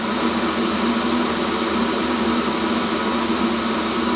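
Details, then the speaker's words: Complete-unit Chinese diesel heater from Banggood, running on kerosene and 12V DC, switched off with the on/off button rather than cutting power. Steady fan whoosh and low hum winding down evenly, no rattles. It is cycling and cooling itself down normally. "see it's off, and you let it go and it cycles itself down and cools itself down properly."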